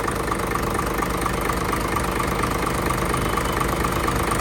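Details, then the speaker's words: Hino J08C truck, inline-pump 210 hp diesel, parked unused two years, steady idle at roughly two beats a second, even with no knock or misfire; engine judged healthy. "เครื่องโอเคนะครับเครื่องยังดีอยู่"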